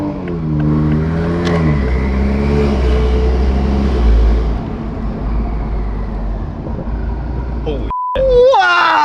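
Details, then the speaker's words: Toyota Supra with upgraded turbo, fuel system not yet done, driving at about 1500 rpm and no more than quarter throttle: low engine drone with a rising whistle over it; turbo spooling cleanly, normal. "that's ridiculous. We're only at like 1500 RPMs right now, bro. And you just hear it just spooling."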